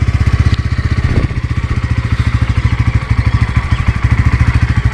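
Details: 2024 Bajaj Pulsar N150 just started after service, vibration test: steady even low idle thump about two and a half beats a second, only slight vibrations, no knocks or rattles; healthy idle.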